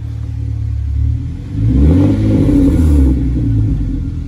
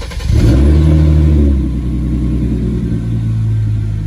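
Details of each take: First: Hyundai Genesis Coupe after fitting Ark downpipes: sharp rev and fall-off with a faint metallic rasp trailing as revs drop; exhaust tips shifted off centre and hitting. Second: Hyundai Genesis Coupe after installing used Ark downpipes, replacing worn flex pipes, with race muffler at the rear; quick rev blip rises to deep loud drone then settles to steady rumble, no rattles, healthy exhaust.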